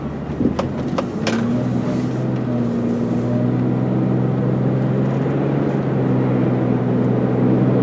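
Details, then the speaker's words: 2002 Volvo S80 sedan, warmed up, test drive up to 50 mph: smooth, steady engine drone building evenly with road noise, no knocks or rattles; motor sounds good with plenty of power. "road all right guys all the way up to 50 mph nice and smooth no problems uh motor sounds good plenty of power and pretty good driving car here"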